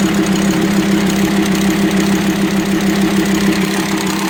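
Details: VW Transporter T5 2.5 AXD/AXE diesel at idle: sharp, regular top-end tick-knock about 200 a minute from a worn, broken camshaft starved of oil by leaking plugs; rough idle, low power, metal dust in oil. Fixed by welding plugs and replacing camshaft, tappets and bearings.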